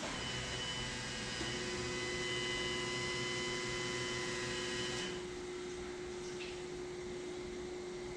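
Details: 1979 Pontiac Trans Am, LS swap with Holley Terminator X and new fuel system, first start attempt: thin steady electric whirr for a few seconds after key-on, then stops; fuel pump priming normally.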